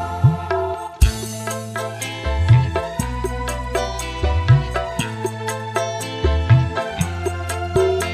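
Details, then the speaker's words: Polytron PAS 68 active speaker that shut itself off after about 15 minutes once hot, after repair: clean music with steady bass and clear highs, no crackling, buzzing or hoarse distortion; earlier raspy midrange gone, normal playback. "Di sini untuk suaranya normal teman-teman, normal, jadi tidak serak, tidak ngebret."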